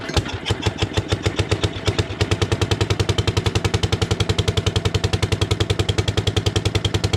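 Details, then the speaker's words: 1957 Gard'n Mast'r tractor with a Briggs and Stratton series 23 9 hp engine, sat for decades, on a brand-new carburetor leaking gas: slow, heavy, labored thumping at three to four beats a second; running way too rich from a flooding carburetor. "not running right but it is running sounds like it's way too rich that is a brand new carburetor"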